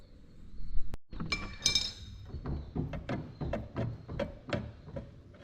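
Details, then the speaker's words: Mower deck after it hit a low spot and a stump: a bent deck piece catches as it turns, giving irregular tick-tick metallic clinks over a low rumble. The fix is bending it back out with an adjustable wrench. "Because like I said, when I was mowing, the mower hit a low spot. This end hit a stump, and that is the result in that noise."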